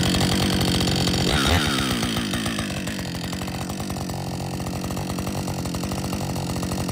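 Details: Warm Husqvarna 562XP chainsaw after dealer software reflash for dying when hot; revs drop away and settle into a steady, even idle putter with no stumbling or dying. Normal idle.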